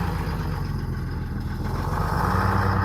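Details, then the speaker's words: Detroit Diesel 6V53 two-stroke in an American LaFrance 700 Series fire engine, after tuning, servicing and new fuel lines, started on the button: deep, steady diesel drone with an even low beat, no knocks or misses; healthy normal idle. "Gotta love that sound. Good old Detroit. 6V53."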